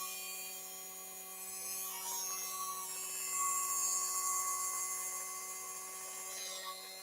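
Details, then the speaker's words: Singer Featherweight sewing machine motor, heater off for quiet workshop: quiet, smooth, constant high whir with no rattle; motor fires up and runs evenly, normal. "nice and smooth nice even running on the motor as well this is way of featherweight motor should be running yeah that sounds really good"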